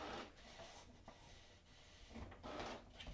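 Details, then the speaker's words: HP DeskJet 3755 printer making a copy: quiet, brief rubbing and clicking as the rollers pull in the sheet and hold it, a normal paper-feed grab. ", you're gonna hear the printer making a noise. It's simply trying to grab the paper."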